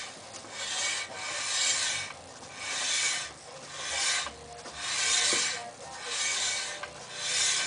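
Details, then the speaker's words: VW Golf 2 brakes: rhythmic scraping swish about once per wheel turn, harsh metal-on-metal rub; first suspected pads, actually the brake disc rubbing on the dust shield, fixed by bending the shield back slightly. "Такая вот проблемка. Трет диск где-то."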